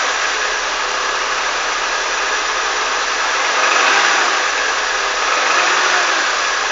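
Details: Honda CR-V engine revved in repeated throttle blips; the note swells with each blip and a faint rapping knock sits under the noise, cause not yet identified.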